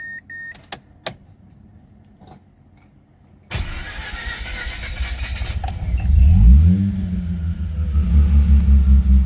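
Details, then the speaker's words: Mazda RX8 with freshly built bridgeported 13B Renesis rotary on the standard ECU, previously hard to start: quiet clicks, then it catches and settles into a steady, slightly lumpy low hum, cooling fans whirring, temperature up but running cooler than before; normal. "So yeah, temp's up. It's actually running cooler than it used to. Fans are on."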